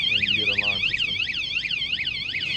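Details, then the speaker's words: Juiced HyperScorpion e-bike built-in alarm, armed by remote; after a warning, continued touching triggers a loud high-pitched siren sweeping up and down about three times a second, steady and unbroken, until disarmed by the remote button. "That means it's armed, and if somebody touches your bike, you got a warning, and if they keep touching"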